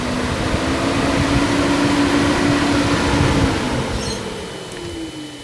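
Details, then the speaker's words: Nissan 370Z/G37/370GT during automatic IPDM self-test, after wipers, lights and AC compressor steps: steady even-pitched whirring hum winding down near the end; electric cooling fans operating normally. "I think the next one's your cooling fans. I know your AC compressors next, then your cooling fans. There you go, folks. I'm sure you guys can hear that."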